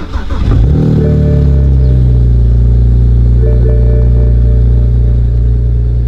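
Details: BMW E92 335i with N54 engine after complete engine swap: engine catches quickly, flares briefly, then settles into a steady, even idle with a deep exhaust note, no knocks or misses; normal startup and idle.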